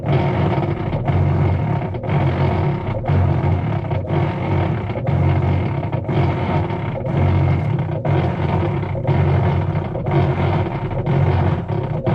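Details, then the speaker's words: Whirlpool top-load washer making noise and not washing, lid switch bypassed; heavy low drone with rhythmic pulse about every two seconds while the bottom agitator doesn't turn. "Vamos a decirle cuál es el problema cuando tienes ese ruido y que no está girando el agitador este de abajo."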